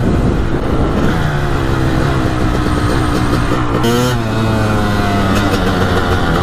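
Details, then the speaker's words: 1998 Honda CR250 two-stroke, first ride this year, riding on the road: crisp note ringing up cleanly, pitch climbing then dropping at each shift, no stumble or bog; owner says it runs amazing; normal acceleration. "And a lot of people in the comments are gonna be like, ah, it's not running right. This thing runs amazing."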